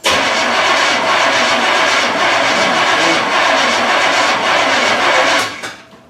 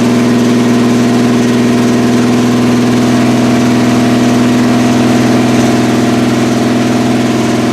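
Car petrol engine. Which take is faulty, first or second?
first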